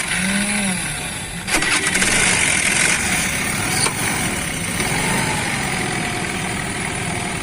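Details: Honda Activa scooter after refitting the kick-start side parts to cure a noise there: engine catches after a brief crank and settles into a steady, even idle, no knocking or rattling from the kick side; normal idle.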